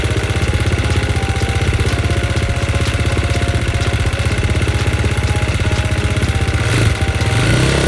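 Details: KTM XC-F single-cylinder after a boost start: steady thump at an even idle, about four beats a second, no misses or knocks, after starting fine once it cranked fast. Normal idle.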